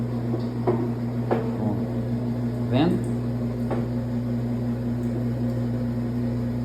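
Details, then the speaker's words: Electrolux LTE12 washing machine on the spin cycle. Owner reports noise during agitation and an oil leak, but the spin is quiet: a steady low hum with an odd light tick and no grinding; normal spin. "Eu pus já para centrifugar e vou trazer aqui ela centrifugando para vocês verem aqui, tá? A gente tá vendo, ó, para centrifugar, a máquina centrifuga normalmente, tá,"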